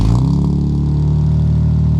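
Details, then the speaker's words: First true cold start of a Lexus IS200 straight six after a DIY straight-pipe decat exhaust: loud, deep, even idle with no knocks or ticks, a normal cold start idle. "so experience for the first time a true cold start with the new um DIY exhaust"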